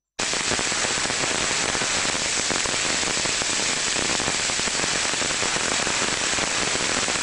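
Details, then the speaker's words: Ultrasonic inspection of a rotating machine bearing: steady rough crackling hiss without a smooth rush, the signature of a rolling bearing needing grease, versus a properly lubricated one. "voilà son homologue ou le même qui aurait besoin d'être agressés aurait une signature sonore qui ressemble plutôt à ça"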